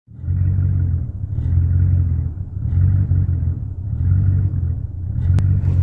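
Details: 1999 Chevrolet Silverado 1500 V8 after replacing intake manifold gaskets, plugs, wires and fuel pump: deep rumble swells and sags about once a second instead of holding steady; rough, lumpy idle, cause not yet found.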